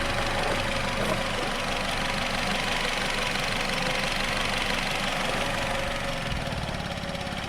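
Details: Nissan Rogue after new spark plugs and ignition coil, multiple-cylinder misfire code P0300, scan tool connected; idle stumbles with an uneven beat, about four pulses a second, never smoothing out. Rough idle from misfire.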